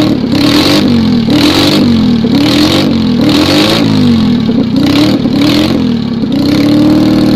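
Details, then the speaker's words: Citroën 2CV twin after rebuild with 652cc conversion, trial run on newly fitted 123 ignition, still no exhaust, on a not-cold day. Quick throttle blips rise and fall cleanly with no misses, loud and raw. Normal running. "still no exhaust so this still comes with a major loud warning"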